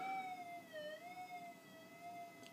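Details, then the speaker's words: Minelab GPX 4500 detector, gain 0, crossover (half field) coil, gold ring at about 30 cm: clear steady mid-pitched tone that dips slightly then holds; normal target response. "even with 0 gain, I can hear that at about 30 centimeters. Not a problem."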